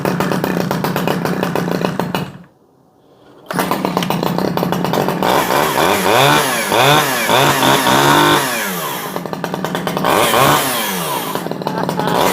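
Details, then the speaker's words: Stihl 011AV two-stroke chainsaw, first start after choke: revs up and down unevenly with a blubbery burble at idle that clears on throttle; running a little rich, carburetor to be adjusted leaner. "come on she's oiling sounds like she's running a little bit Rich I'm gonna grab my screwdriver"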